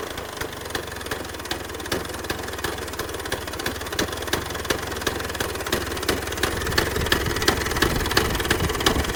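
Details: 1966 Vespa Sprint after rebuild with Pinasco racing crank, Pinasco 177cc aluminium cylinder and CDI 12V ignition: crisp, even two-stroke beat about three pops a second, revving cleanly and settling back; normal idle and revving.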